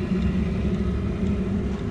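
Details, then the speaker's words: Audi A4 1.9 TDI auxiliary heater, after an extra ground wire was run to the battery: once the pump got water it became much quieter. The pump clicks, the heater ignites, and it runs with a steady, even low purr. "Sitten kun se sai sinne veden, niin hiljeni huomattavasti. Nyt pumppu napsuttaa siellä ja katsotaan, saako se sitä sytytettyä."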